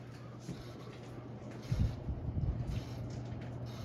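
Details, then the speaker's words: Hampton Bay Gazebo Plus 52-inch ceiling fan, early-2000s, on high speed: low steady hum with some rustling and knocks; the owner says this new noise wasn't there at an earlier test, cause unknown. "know it is the fan i don't know why it's making a sound wasn't making that earlier when i give it a quick test on"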